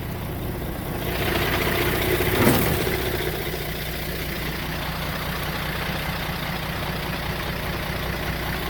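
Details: 2000 Peterbilt with Caterpillar 3406E diesel, after replacing a failed starter relay that caused a won't-crank/won't-start after pressure washing: one brief louder surge, then a steady, even low rumble; healthy idle.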